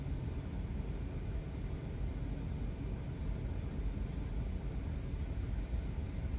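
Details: Ford Escape/Mariner hybrid after replacing the high-voltage battery cooling fans for code P0A81, key on engine off during self-test: steady, even low rumble with no ticking, scraping or wobble; fans run normally, no codes remain.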